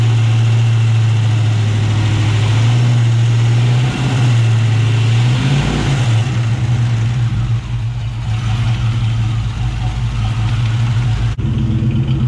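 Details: 1999 Ford Mustang GT with Nemak engine, newly built, first run: deep steady drone at constant pitch, even firing, no knocks or ticks; normal idle with about 70 psi oil pressure; transmission line leak noticed.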